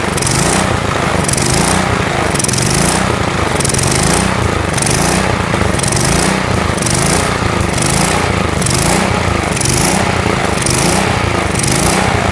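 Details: Lawn mower engine being built up as a riced mower: steady, even drone with a regular beat, no knocks or misses. Sounds smoother; owner expects some blow-by still.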